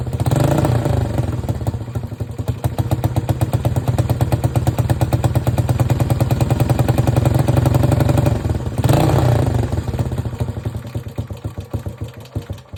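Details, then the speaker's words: Honda CT Trail 90 after a new spark plug, charged battery, new fuel lines, reattached coil boot, cleaned carb jets and fresh gas: small revs chug, then slowly wind down. High idle because the sticky throttle slide stays open and the carb needs tuning. "Okay, so the carb needs tuned a little bit, and the throttle's a little sticky, so the slide stays open, but other than that, it runs good."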